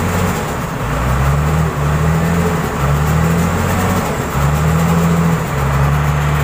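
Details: Komatsu wheel loader diesel running after alternator IC regulator fault repair: steady even low drone with slight pitch swells, no knocks or misses; running normally.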